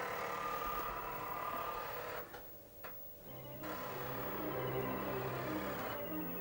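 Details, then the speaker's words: Amiga 1000 floppy drive loading Hybris: quiet, fast, fairly regular ticking about three or four per second under game music; ordinary disc chattering normal for this game. "that sounds like it's doing its thing [Applause] yeah that sounds quite normal for hybris it does that disc chattering there we go"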